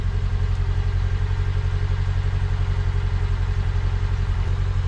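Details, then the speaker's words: Low-mileage Mk1 Fiat Punto after about a minute of idling: steady, even petrol idle with no stumble; the misfire improved after HT leads found on the wrong way round were refitted correctly. "I definitely know that the HD leads were around the wrong way because now the cars definitely fired up better"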